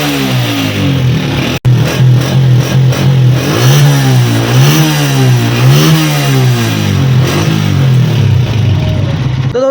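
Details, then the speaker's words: 2025 Honda CG 125 single-cylinder, after fixing a misfire and an air-leak noise from under the carburetor. During an RPM check it revs up and down smoothly, with clean pickup and no popping or missing. "दोस्तों इतना सा काम होता है, इसमें कोई बड़ा मसला नहीं होता।"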